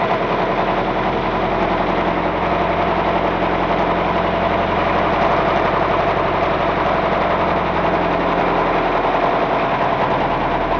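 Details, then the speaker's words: Car engine run without oil or sump for bearing view, previously run on old thin oil, con rods at 150-160 °C: harsh dry metal-on-metal clattering at fast idle; rod bearing fried onto crankshaft from oil starvation. "Bearing.. it's fried onto the crankshaft"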